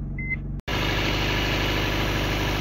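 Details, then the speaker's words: 1991 Honda Civic wagon RT4WD, started after sitting for months with a new battery; steady even idle, no clatter or ticking after a seatbelt chime, despite a history of overheating, coolant bubbling (owner suspects blown head gasket) and burning some oil. "It still idles really smooth. No clattering."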